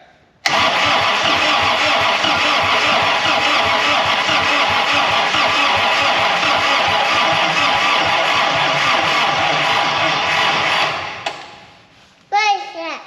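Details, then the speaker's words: 1940 Dodge with Desoto Hemi, Holley Sniper 2 EFI and higher-volume oil pump, first crank attempt: steady loud cranking about ten seconds then sags and fades as battery goes dead. "We got a dead battery. What do you know?"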